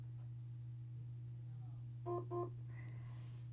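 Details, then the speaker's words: Sonicare HealthyWhite+ HX8911 toothbrush placed on a plugged-in charger: two short quick beeps a quarter second apart over a low mains hum, with green flash, confirming the charger confirmation setting is on and it is charging. "you heard those two beeps real quick just confirming that it's on the charger and it's charging"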